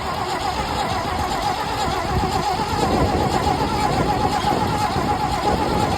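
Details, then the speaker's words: 1974 GMC 6000 truck V8, parked 22 years, carburetor removed: starter spins the engine steadily with an even churning rhythm and no firing, while testing whether the primed fuel pump delivers through a hooked-up line; pump confirmed working. "We've got a line hooked up in here. We've got it primed, and Daniel's going to hit the starter and see if anything comes out of that."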